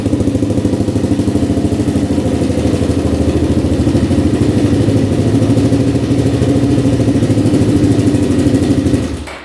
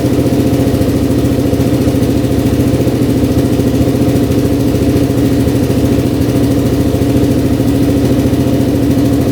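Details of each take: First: 2003 Kawasaki KFX400 four-stroke quad: steady, even single-cylinder fast idle, no knocks or misses; oil confirmed pumping through engine. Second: 2003 Kawasaki KFX400 quad, first start after draining very old oil and refilling 2 quarts; steady single-cylinder idle with light uneven tapping on the exhaust beat, a little top-end knock, not bad. Top-end knock at idle.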